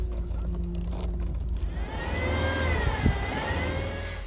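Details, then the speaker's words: 2006 Subaru WRX running with a high whine rising and dipping with engine speed, persisting after a second replacement power steering pump was installed and bled; owner suspects a bad pump. "I guess either the pump I got it is bad or is just I need a holy ham pump because I still have this wine I don't know if you guys can hear it"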